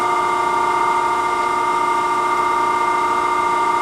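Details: Okamoto ACC-12.24DX 3-axis hydraulic surface grinder, spindle running alone: steady, unwavering hum with clear tones and no knocks or grinding; the spindle runs smooth and even.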